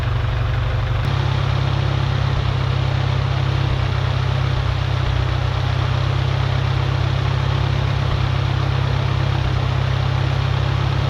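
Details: Farmall Cub tractor, 6 V battery at 6.34 V, started on choke after new radiator install and generator rebuild: catches after a brief crank and settles into a steady, even low thump at idle, no misses; radiator holds, generator not charging.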